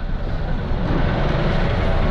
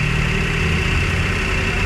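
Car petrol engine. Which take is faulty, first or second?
first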